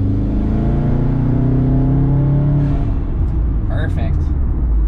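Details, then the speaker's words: 2012 Subaru WRX after replacing cylinder one coil pack to fix a misfire, test drive under light load: steady engine drone rising smoothly, no sputtering, jerking, power loss or cutting out; roughness monitor shows zeros across the board. "so we're not having any issues we're not having the sputtering we're not having the jerking we're not having any loss of power or cutting in and out like we were the last two times we tried that"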